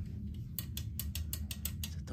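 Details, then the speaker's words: Electric clothes drying rack with a broken wire, outer cover of the motor unit removed, limit switches tested; crisp evenly spaced run of about ten sharp clicks over a low hum; switches all fine. "He also has to pull off on the way up It is because the limit is broken Switches are all checked without problems"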